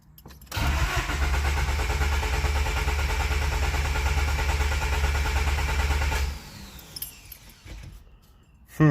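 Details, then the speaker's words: JDM D15B VTEC turbo engine after RDX injector and basemap ECU install; fuel pump primes, then steady starter churning about six seconds without firing; cranks, no start; plug found wet and fouled, cause unconfirmed. "moment of truth see what happens here he'll pump kick down that's a good sign she's not starting though"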